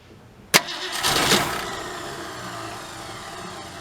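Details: 1967 Ford Galaxie 500 with a 289 two-barrel, on its first start attempt after 25 years. A sharp start, then steady cranking that never catches; suspected fuel starvation.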